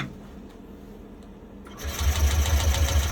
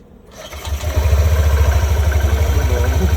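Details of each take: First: Yamaha Nmax turbo (TechMax) with YECVT, after resetting transmission and clearing DTC 18P1883 on a scan tool: starter cranks in a fast steady churn about a second and a half but the engine does not fire. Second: Yamaha Nmax turbo (TechMax) with YECVT, after sensor action test and clearing DTCs again: engine catches within a second and settles into a steady, even single-cylinder idle at about three beats a second.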